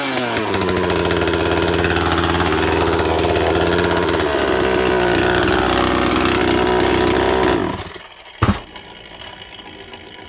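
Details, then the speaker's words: Makita top-handle climbing chainsaw, two-stroke petrol, first start after replacing broken-down primary ignition coil: steady high idle buzz for several seconds, then shut off; fires and holds evenly, running properly. "now she runs"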